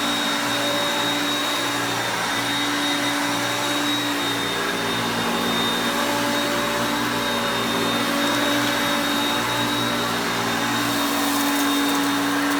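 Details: Hoover Concepts self-propelled upright vacuum on carpet. Steady, even motor whine with constant airflow rush, no rattles, surging or grinding; normal running.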